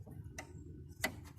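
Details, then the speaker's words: 1986 Carrier Siesta 6100 BTU window air conditioner, rusty and found not working as advertised. Two or three sharp, clean clicks over a quiet hum as the thermostat is turned: the thermostat switch works normally. "the thermostat seems to work"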